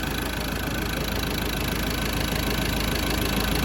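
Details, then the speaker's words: 2013 Ford Ranger diesel that started then stalled after new glow plugs, reassembled with EGR valve motor removed and valve closed manually: settles into an even idle, steady low rumble and clatter, no stumbling or stalling. "This thing is back together and at this point running. I'm kind of starting to get happy."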